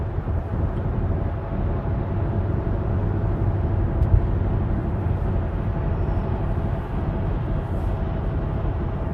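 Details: Audi driving at speed with steady low drone and no knocks or clicks, from a bad wheel bearing.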